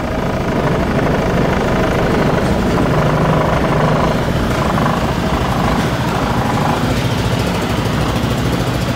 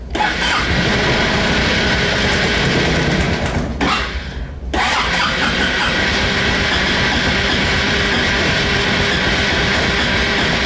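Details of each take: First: 2004 Honda Reflex scooter just after a cold start at 14°F, warming up at about 1500 rpm idle: steady, buzzy single-cylinder putter, rapid and even with no knocks or rattles; running as it should. It burns a little oil when cold. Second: 2004 Honda Reflex scooter cold start at 14°F after two days in sub-freezing weather: the starter grinds on, drops out and retries, the engine catches briefly and dies, then runs into a rough, uneven cold idle. Hard cold start needing extended cranking.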